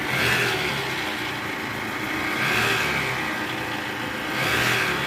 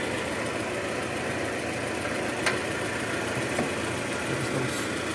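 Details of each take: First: 2013 Toyota Alphard, 2AZ-FE engine: harsh gravelly roar from the oil pan area swelling and easing with revs; balancer shaft found disintegrated and replaced. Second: 2013 Toyota Alphard 2AZ-FE engine after replacing a destroyed oil-pan-area balancer shaft that caused rough engine noise: smooth, quiet, even idle with no grinding or rattle; engine now runs normally.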